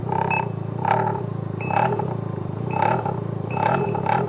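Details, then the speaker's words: Can-Am Ryker with accessory passenger seat and pegs: ringing metallic clatter in bursts over steady engine hum while riding, from loose, floppy passenger footpegs rattling incessantly even in the up position. "just rattles incessantly even when it's in the up position that's very floppy rattles and these things flop around"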